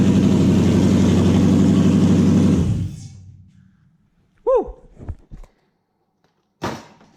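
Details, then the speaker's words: Toyota 1UZ-FE V8 swapped into a Massey Ferguson tractor, first start after new wiring loom and ECU hookup, oil pressure checked: smooth, even V8 idle with steady beat for a few seconds, then clean switch-off; engine runs normally. "fuel pump works engine works it all runs pretty ever hear that"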